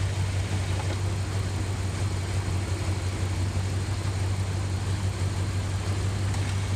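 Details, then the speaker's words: Dodge Ram 1500 idling with the air conditioning on during an R-134a recharge: steady low drone, slightly heavier and labored from the A/C compressor load. Normal. "wonder why the engine is making this noise. Because the air conditioner's on. That's what it does."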